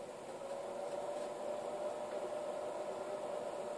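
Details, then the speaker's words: Pevono PS305H 0-30 V 0-5 A DC bench power supply: quiet steady mid-pitched fan whir, faint hiss, no rattle; fan speed varies, dropping as voltage and current are turned down; normal operation. "that you can hear the fan but it goes away comes back here's the real kicker as I turn the voltage down and the current the fan speed decreases so it is an actual variable thing a variable speed fan actually changes"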